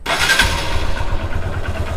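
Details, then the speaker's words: Hero Xtreme Sports motorcycle, 51,129 km, after timing chain replaced with a silent chain: fires up cleanly and settles into a steady low putter with no rattle or ticking; idle smooth and healthy. "देखिए गाड़ी हमारी क्या है, एकदम सटीक idling में है। अब किसी भी चीज़ का आप इसके अंदर साउंड सुना के दिखाइए, कोई भी साउंड नहीं, क्योंकि मैंने इसके अंदर टाइमिंग चेन का प्रॉब्लम था।"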